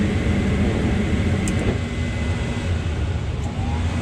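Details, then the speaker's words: Mana 80 SV Air Command furnace after a no-start repair (bugs, stuck exhaust fan): the blower starts on the board timer after burner ignition and cools the unit. Steady, even whoosh with a low hum and no rattles or squeals, normal blower operation. "So the blower started. Just letting it cool down a little bit here."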